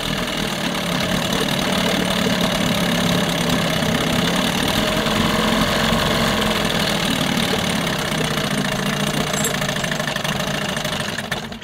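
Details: 1988 Johnson Evinrude 6 hp short-shaft two-stroke outboard, after a water pump impeller repair: it runs rough and lumpy about ten seconds, then fades and stalls from fuel starvation; the plastic-top carburetor is suspected.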